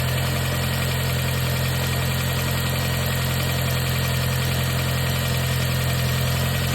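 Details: 2020 Audi S3 idling down from a cold start. A deep idle hum carries a light, regular rattling tick about three per second, seemingly from the timing chain case. Scanned camshaft positions read 0.0 intake and -5.2 exhaust; the cause is suspected, not confirmed.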